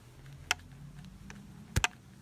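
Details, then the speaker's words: BMW E36 6-cylinder OBDII idle control valve, new unit shaken by hand beside the old one: two or three sharp light clicks as the valve moves freely; old ICV seized and caused stalling. "you hear how the valve moves freely inside just when I do that and this one again nothing so it's pretty locked up"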